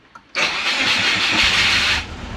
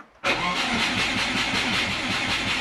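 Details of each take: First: Turbo Subaru Forester after ECU update, previously wouldn't stay running; brief crank then catches and holds a rough but steady idle, transient throttle setting misbehaving; cause found to be timing: normal engine start. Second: Turbo Subaru Forester after ECU update, mid-pipe and oil cooler fitted, injectors turned on: starter cranks steadily about five seconds but never catches; no start, owner suspects flooded spark plugs, and the plugs prove wet.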